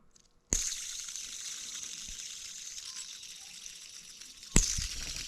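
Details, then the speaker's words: Jeep with squeaky noises: a removed idler pulley spun by hand gives a rough, gritty whirr that fades as it coasts down, heard twice. Worn idler bearing; two idler pulleys and the tensioner were replaced. "hear that that's bad this is the other pulley we took off oh yeah hear that so we've got definitely some bad out of their pulleys"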